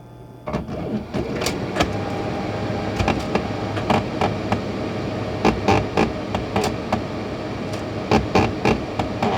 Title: Brother HL-3045CN printer making noises